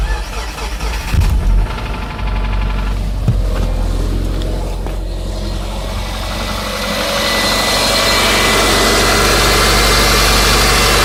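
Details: 2005 Subaru Legacy 2.0L catching and settling into idle: a steady, fast knock rides over it. Owner asks whether it is rod bearings or piston slap. Engine knock at idle, unconfirmed.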